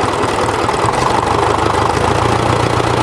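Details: Old diesel tractor with a flickering oil light that worsens below about 700–800 rpm and when hot; the engine itself gives an even, healthy clatter at steady slow idle. The sending unit turned out to be the fault.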